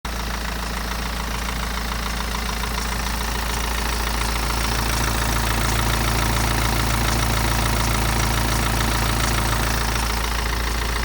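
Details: BMW 118d with N47 diesel at idle: fast, steady metallic ticking and light rattle from a worn timing chain, recorded before chain replacement.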